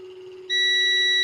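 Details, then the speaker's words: 12V battery and solar charge controller wiring tested with a continuity tester: a soft hum, then a steady high beep. The wire shows continuity where it shouldn't, meaning it is shorted and will be replaced. "Tumutunog siya. Ibig sabihin shorted to."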